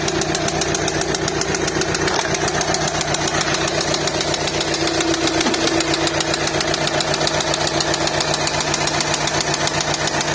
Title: VW passat B7 2.0 tdi CKRA loud noise